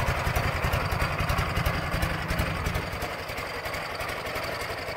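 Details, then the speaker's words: 2006 Ural Troyka 1WD sidecar motorcycle, carbureted twin, gasket oil leaks recently fixed, restarted shortly after a test drive at about 38°F with a little throttle: low, even putter with steady firing pulses about three a second, no knock or miss; normal cold idle. "of course the carbureted ones we always give them a little bit of throttle once they start to fire it is a little chilly out today it's 38 degrees or so out here so"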